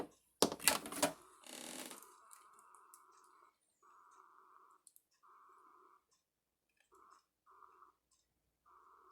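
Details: Keurig Mini after brewing, still making noise after being unplugged: after some clatter, a thin buzzing whir comes and goes in half-second to second-long bursts. Source unclear.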